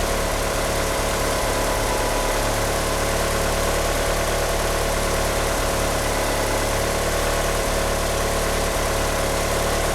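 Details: Car fitted with 850cc injectors, at idle: an uneven, lumpy idle with an irregular pulse and a faint squeal from the slipping power steering pump belt underneath. The car won't rev up. Rough idle.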